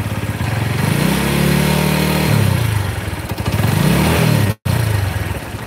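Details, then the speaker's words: Megapro motorcycle engine, rough and weak, revved: clattering knock combining cam chain noise (clear at 1500 rpm), camshaft noise (2000–3000 rpm) and piston slap (around 4000 rpm). "ini versi analisa yang klek itu ganteng yang vektek itu suara noken as kemudian yang pernah deket itu suara piston"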